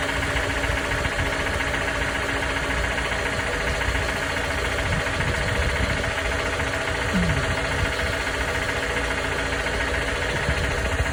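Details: 2019 Toyota RAV4 petrol engine idling with a faint, loosely regular knock riding on a steady hum; engine knock at idle.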